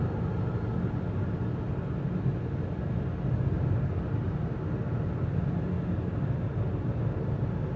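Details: 2016 Toyota Avensis III 1.8 with CVT: constant deep drone under steady road noise while cruising, no pitch change; CVT suspected as the hum source, not confirmed.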